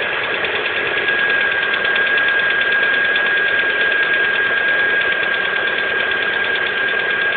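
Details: Lada Priora 2 with the 21127 engine at 5,000 km, cold: a loose, uneven tapping of roughly three a second under a steady idle hum. The source of the cold-engine knock is not identified.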